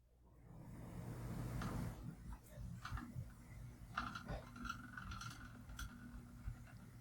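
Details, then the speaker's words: Ceiling fan wobbling at certain speeds: low motor hum with a constant repeating high squeak that rises and falls slightly as it turns; owner suspects an out-of-balance blade or loose parts, later balanced a blade. "as you can hear it's pretty constant kind up and down a little bit but it's overall really see Annoying"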